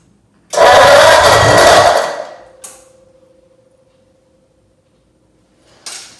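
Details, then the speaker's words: Ford 8BA flathead V8 (1949-53), spark confirmed, fuel bowl empty, only a squirt of fuel in the carburetor: brief cranking that never catches into a steady run; no fuel from pump, owner suspects pump valve. "There's not even any fuel in the bowl over there, the fuel bowl, but I did put a little squirt of fuel in the carburetor earlier, so that's what caused that. I'm concerned that I'm not seeing any fuel at the fuel pump there yet."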